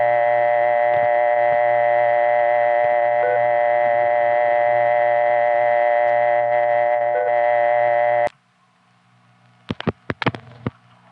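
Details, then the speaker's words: New York test line on dial 09, with three touchtone tests beeping over an old dial tone: the steady tone with faint beeps cuts out after about eight seconds into clicks and crackles. Speaker attributes it to a loose connection. "Loose connection there."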